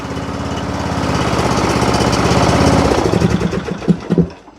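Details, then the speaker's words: John Deere riding mower, Briggs & Stratton single-cylinder, cold after a freezing night, after valve adjustment: catches on choke and runs smooth and even at a steady beat before winding down; healthy. "All right, let's choke her and let her see how she's going to act now. Sounds good now."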